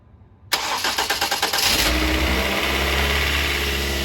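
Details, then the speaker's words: 2007 Ford Focus Duratec 2.0/2.3 first start after cylinder head installation, fresh synthetic 5W-20, no belt, coolant or power steering fluid yet: brief cranking, fires first try and settles to smooth steady idle, healthy. "oh yeah sounds great i'm super excited about that started on the first try awesome"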